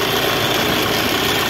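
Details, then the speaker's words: Mahindra Scorpio SZ 2.6 8v diesel idling after a long highway test drive: no leaks, temperature just below middle, runs well. Steady high-pitched whirring over an even idle that doesn't let up. Noise from the alternator. "pronto galera já deu uma boa voltinha nela tudo ok né ó só esse alternador que tá avacalhando essa zoada dele aí ó"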